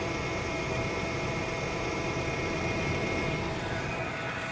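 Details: 2002 Chevrolet Astro just after thermostat replacement for overheating, coolant topped off, started to check leaks before warming up: smooth, even idle with a steady hiss and no knocks or misses; normal idle.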